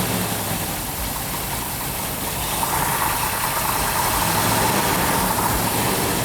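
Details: 1970 Plymouth Cuda 440-6 with Comp Cams Mutha Thumper camshaft, initial startup of new engine during cam break-in with rpm held up: deep loping choppy idle, slight normal new-engine valvetrain noise, no knocks; healthy.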